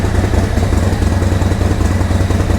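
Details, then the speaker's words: 2024 Harley-Davidson Road Glide, Milwaukee-Eight, cold start after Zippers 534 cam change: lumpy, loping idle with strong regular chop, noisy intake, no ticking, clatter or leaks, a little smoke from spilled oil burning off; normal idle. "Oh, she sounds good. Noisy up here, sounds really good. Sucking a lot of air."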